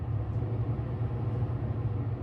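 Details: Wolf range hood blower after replacing the 811529 blower fan controller, running on slow. A steady, even low hum with no rattle, scrape or wobble. Normal blower running.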